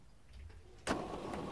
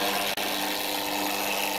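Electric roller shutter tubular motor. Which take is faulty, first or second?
second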